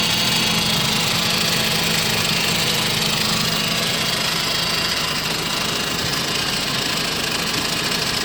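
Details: 2005 Saab 9-5 ARC 2.3t, neglected, with P0300 misfire code, surging rough idle and occasional stalling when stopping; loud uneven stumbling idle about three pulses a second over hissy engine bay; cause unconfirmed.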